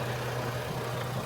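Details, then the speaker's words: Chevrolet Trailblazer/Envoy after a 4.2 engine swap. Smooth, even low hum and clean idle with no knocks or stumbles; it runs really well with no check engine lights. Normal idle. "Anyway, it runs really well. It has no check engine lights."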